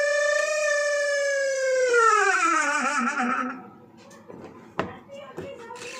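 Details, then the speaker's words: Washing machine spin dryer running: a loud, piercing squeal that slides down in pitch as the drum slows, then dies away. The motor seal has dried out after long use; fixed by oiling it. "और इसमें जो कपड़ा सुखाने वाला dryer है उसमें ही आवाज आ रही है। यह देखिए कैसे शोर हो रहा"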